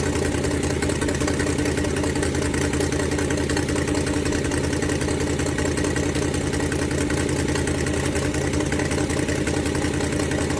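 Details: Ford Falcon 289 V8 idling during a cooling-system flush for rust-caused overheating: sharp puffing tick in time with the firing, about two to three a second, from an exhaust leak; fix planned for tomorrow.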